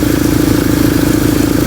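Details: Toyota 5K engine after restoring ported vacuum advance, timing set 10 degrees BTDC, carburetor tuned and idle lowered slightly: steady, even idle with smooth regular beat, no misses or knocks; normal.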